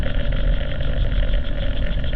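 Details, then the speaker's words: 2016 Nissan Rogue driving about 30 mph with chassis microphones: steady deep droning rumble heard on channel 2, slight brake noise on other channels, from a bad wheel bearing. "number four just a little bit of brake noise seemed like the noise is coming from Channel 2."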